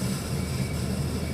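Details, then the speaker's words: 1983 Casablanca Zephyr 52-inch ceiling fan with a K55 stack motor, converted to 3-speed from Slumber Quiet, running at medium: a steady motor hum with a fine, uneven rattle; the bearings chatter. "we're gonna go to medium have to put some more zoom spouts on it here we go that's into the Bears chatter"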